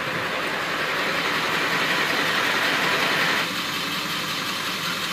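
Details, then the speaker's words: 2000 Ford F250 at idle in neutral with the clutch released: steady whirring rattle from the gearbox that stops with the clutch pressed, with a pitch drop partway. Shifts fine and is quiet while driving. Transmission noise only in neutral, source unconfirmed. "so this noise comes in kicks in only on neutral that's it"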